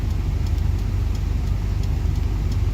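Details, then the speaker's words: Proton Waja MMC automatic after genuine Evo9 stepper motor fitted and reset; in reverse/drive on handbrake, A/C full blast and all electrical loads on: low even idle, no misses or knocks, holding about 678–718 rpm. "So dia main antara 6878. Cantiklah dengan aircond fully blast semua load semua buka dah elektronik."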